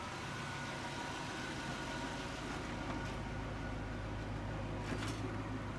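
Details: 1992 Chevrolet Corvette C4, 5.7L V8, automatic, about 51,600–55,600 original miles, pampered condition: deep smooth idle with an even low rumble, no ticks or misses, light outdoor background; engine sounds healthy.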